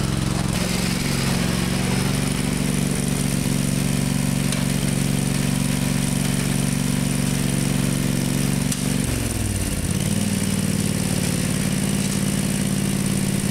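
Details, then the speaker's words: Murray lawn tractor with factory 16 hp Briggs Vanguard V-twin, valves adjusted, probably needs choke to start: lumpy uneven idle, pitch sagging and recovering near nine seconds; runs rough, carburetor needs cleaning again, parts ordered. "got to clean the carburetor out again it runs kind of crappy I'm going to have to choke it probably to crank it"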